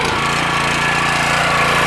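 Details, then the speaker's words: Petrol pressure washer after internal repair of suspected unloader valve (previously would not release high pressure when trigger released): starts and settles into steady, even drone with no hunting or misses; trigger released, pressure lets off, valve briefly stuck then working; normal running. "if i pull the trigger here let the pressure off it actually does seem to be working i don't know what happened it was stuck for a second"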